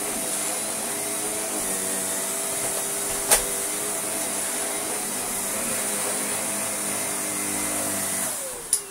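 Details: Shark vacuum from a joblot: a steady motor whine with an even brush hum and no rattles or scraping, then a clean spin-down. Running normally.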